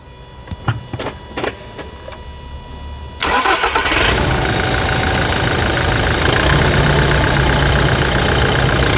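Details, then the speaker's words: New 2021 Toyota Hilux single-cab 4x4 diesel, fresh from the dealer: a few clicks, short crank, clean catch settling into an even steady idle with no knocks; healthy engine. "Vamos lá a melodia do motor novo da Toyota vamos lá então ó"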